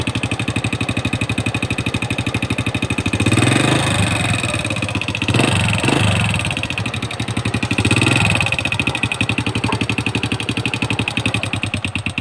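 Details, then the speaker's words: Honda Wave 100 motorcycle after the loud noise was found and fixed; quick even single-cylinder putter at idle with clean throttle blips, no rattle or knock, running healthy. "ตอนนี้ผมได้หาเจอแล้วก็แก้ไขเรียบร้อยแล้วนะครับ"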